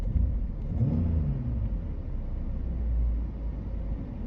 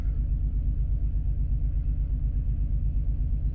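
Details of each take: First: Petrol engine idling smoothly around 1,000 rpm with a steady low rumble and no stumble, after a cylinder 3 misfire was cleared (suspected coil or spark plug) and the code erased; normal idle. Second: Six-cylinder petrol engine at idle with a lumpy, rhythmic stumble of about three beats a second after swapping the cylinder 2 and 3 coils to chase a cylinder 3 misfire; the misfire persists and the engine shakes heavily.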